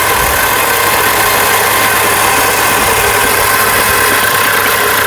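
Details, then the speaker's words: 1972 Dodge D200 Camper Special crew cab, cranking for a compression test after Marvel Mystery Oil in cylinders: strong fast even cranking whir, no dragging, clicking or grinding; starter healthy. "All right, that's good. Starter. So the starter sounded healthy."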